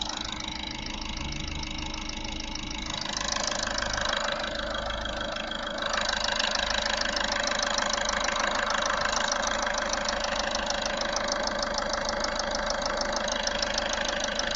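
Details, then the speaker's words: Audi A3 1.6 TDI (CAYC) diesel idling: sharp regular tick about two per second, possibly from the engine's rear. Sluggish acceleration, no fault codes; cause suspected, not confirmed. "On a l'impression que c'est de ce côté-là. Ça fait quand même un sacré claquement."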